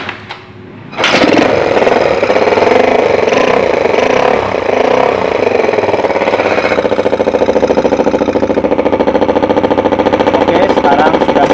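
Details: Yamaha Xeon carbureted scooter that was very hard to start, after replacing the carburetor vacuum diaphragm: catches after a brief crank and settles into steady even idle with regular exhaust pulses, no misfires; normal start and idle.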